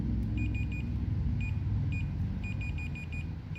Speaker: now if I come up to this you'll hear it beeping as I move this